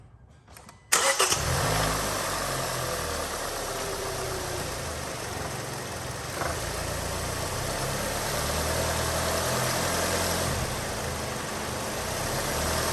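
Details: Hyundai Sonata, no check engine light: cranks, catches, then settles into an uneven, lumpy idle with vibration, notably with the AC on; throttle body cleaned and spark plugs changed without a fix; bad motor mounts suspected.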